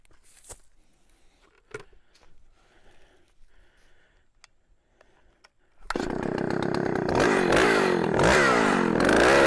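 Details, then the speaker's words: 44-year-old vintage Husqvarna L65 chainsaw with points ignition, brought out of retirement, cutting a big oak log; a steady raspy roar that holds its speed well through the cut. Lower rpm than modern saws but lots of torque. "as i mentioned this uh saw doesn't the rpms on this uh are not as fast as the current models of saws but it's got a lot of torque"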